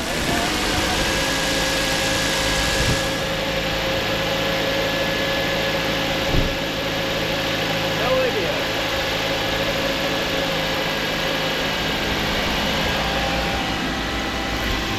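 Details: 2011 Mazda CX-7 with a used replacement engine, first start after install while the coolant burps: steady, even idle with no knocks, ticks or misses, a normal idle despite stored codes including MAF circuit range and crank sensor.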